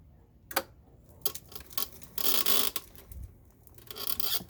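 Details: Dry rasping creaks in uneven bursts with clicks, no motor noise, from a Golden Technologies Buzzabout power wheelchair after 5 rides, 2 months old; seat post squeaking in its tube, fixed by greasing (WD40).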